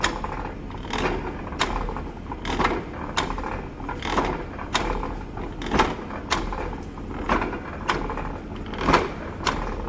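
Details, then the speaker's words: Slotter machine cutting on the forward ram stroke with an idle, non-cutting return stroke. Regular clunks about every second and a half on each cut, quieter returns; normal slotting action. "और आपका material जो है forward direction में cut करेगा, return direction idol होता है, कोई working नहीं होता है रिटर्न में,"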